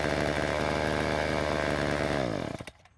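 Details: Ryobi two-stroke string trimmer after turning H screw counterclockwise: high, even buzz held steady at speed, then winding down cleanly; normal running after carb adjustment.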